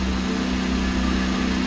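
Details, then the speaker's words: Boat Westerbeke diesel generator after fresh water pump replacement, about half capacity with AC (about 1,200 W) and refrigerator plus 200 A battery charging: steady even diesel drone, no knocks or hunting; normal running under load. "The rest will be the refrigerator running. Generator is running about half capacity. You go up to 12,000. It's good."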